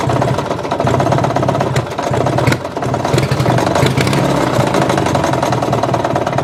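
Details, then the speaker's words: Murray riding mower engine, ran low on oil and connecting rod came loose on crank; retightened but knock remains, owner considering engine replacement: rough irregular knocking under exhaust note; rod knock. "so there you go thinking about replacing the engine it's got that knock"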